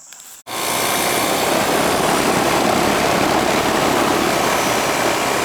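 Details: Older Ruud AC condenser started after the technician found a bad capacitor; a click, then fan and compressor spin up into a steady, even whoosh with no rattle or hum, warm air discharging and charge judged fine, running normally.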